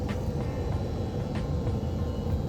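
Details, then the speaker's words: Aquatherm air handler fed by a Bosch combi boiler, blower fan driven through a newly wired relay on a G call: steady, even low rumble with no knocks, rubbing or surging; normal blower operation. "it's working to cool yeah we put that boiler in"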